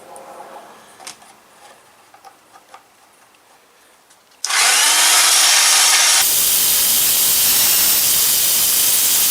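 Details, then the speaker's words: Ozito DBS-095 drill bit sharpener regrinding an over-ground bit: loud, steady, high grinding that holds evenly with no catching or chatter. It is normal operation, and the edge is about three quarters done and forming nicely. "Okay, it's about 3/4 of the way through. It's creating a nice edge on it."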